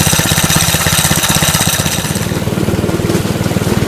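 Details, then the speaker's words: Go-kart small single-cylinder engine after valve adjustment, which cured poor idle and hard cold starting: even thumping at a quick idle with no misses. Normal idle. "but I mean it's idling much better super cold start"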